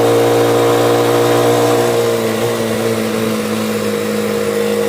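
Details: Motorcycle cargo tricycle after replacing a faulty ignition coil: engine pulls clean and steady with no misses, knocks or valve noise and no longer stalls, though a tinny rattle comes from the exhaust joint's loose nuts. Normal running.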